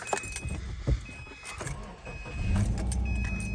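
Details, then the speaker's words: 2008 Subaru Impreza after replacing a dead ignition coil that caused shaking: engine starts, revs nicely, and settles into a smooth, steady idle with no vibration or misfire. "revs nice and good back to nice and smooth no vibrations whatsoever"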